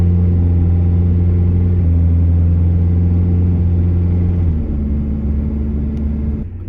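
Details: Truck with newly installed timing chain on a road test: smooth, steady engine drone easing down as it slows, no tick or rattle; running quiet as it should.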